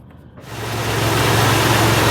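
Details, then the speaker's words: 1964 Buick Electra V8 after intake manifold core plug replacement and silicone cleanup: catches and settles quickly into a low, quiet, even idle with no hiss or puffing; exhaust leak at bottom of intake manifold gone. "alive up and running so quiet [Music] so much quieter when it doesn't have exhaust leaking out of the bottom of the intake manifold"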